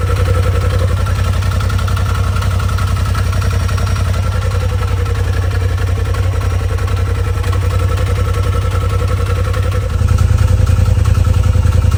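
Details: Polaris RZR XP Turbo, first start after installing a TPR valve cover, charge cooler, timing tensioner and full-flow kit: fires right up with no codes to a steady, even idle pulse rising slightly near the end, no misses or knocks.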